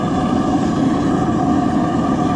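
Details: Waste oil burner, propane shut off, running on waste lawnmower and refrigeration compressor oil through a siphon nozzle at about 10 psi air, melting aluminum engine parts; steady, even roar with a low rumble, no sputter or surging: normal burner operation.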